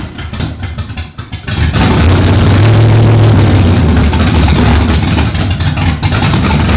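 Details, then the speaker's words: Stroker Windsor V8 in a Fox Body, first start after install: quick crank, then it catches and speed surges and sags unevenly, never settling into steady idle without throttle. "by the time I left we had that engine fired it still wants to be babysat a little bit on the frontal it doesn't really want to idle"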